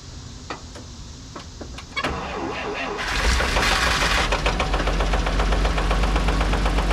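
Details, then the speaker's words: Dodge M37 military truck engine, revived after sitting about 14–15 years with even compression across all cylinders, at fast idle with a steady knocking and slight hesitation; owner leans towards rod knock, unconfirmed. "definitely got a little knocky noise coming from somewhere hesitating a little bit this thing runs really good other than that knock I'm leaning towards a rod knock"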